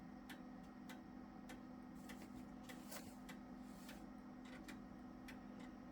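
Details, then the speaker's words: Gateway G6-400XL PC floppy drive reading a boot disc after reseating a loose IDE cable: steady hum with crisp, regularly spaced head-step ticks, one or two a second, no scraping or grinding; healthy floppy seek. "Drive sounds healthy floppy drive that is"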